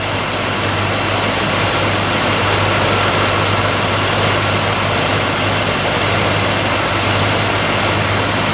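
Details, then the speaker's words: Used salvage-yard power steering pump fitted after two noisy remanufactured Cardone pumps, engine idling: a smooth steady low hum with no whine or bearing growl. Normal power steering pump. "and there we go that was supposed to sound like no bearing noise at all"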